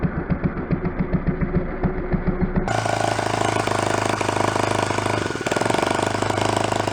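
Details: Small 49cc four-stroke kit engine with factory muffler on an antique-style pedal bike, first fire-up: even putt-putt idle of about four beats a second, then a steady rev that holds; engine runs healthy.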